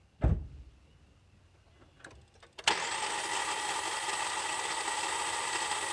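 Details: 2.4L Kia Sorento / Hyundai Santa Fe / Sonata starter: after a click it spins to a steady high whine without cranking the engine; cause most likely the solenoid-to-pinion lever (Hyundai TSB 13-EE-001).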